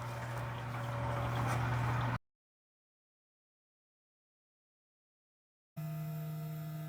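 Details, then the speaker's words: Water-cooled 1.5kW spindle cooling system on a Genmitsu CNC, coolant pump circulating deionized water with no leaks: steady, even low hum with no rattle or surging; normal coolant pump running. "The pump is running, and if you look really closely, you can see there's actually water moving. We have deionized water running through the system right now."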